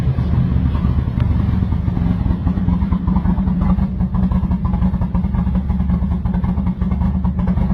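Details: Lexus IS300 with built turbo 2JZ-GE engine, first start: loud, deep, lumpy idle with an uneven, throbbing beat and no rise in revs; rough idle that sounds like misfiring.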